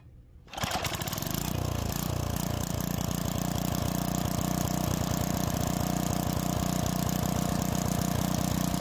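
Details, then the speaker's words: Tecumseh engine on an edger with old-fuel starting problems, after carburetor repair and high idle screw adjustment; fires on the pull and settles into a steady, even run with no misses or surging, blade spinning. "after a couple of adjustments it's running well and the blade is spinning"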